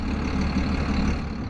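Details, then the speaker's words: Used 7800 tractor diesel powering planter hydraulics: low, uneven chug grunting at low revs under hydraulic load; raising the throttle stops the grunting; engine lugging under load. "Just hear it grunting. It's because the engine's under load. Bump the throttle up a little bit and it'll quit grunting like that, but"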